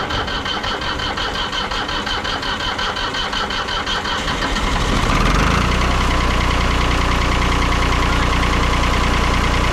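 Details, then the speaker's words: Kubota diesel tractor with bush hog: slow cranking chug for about five seconds, then it fires and settles into a steady, even idle; good running tractor. "Oh, good running tractor."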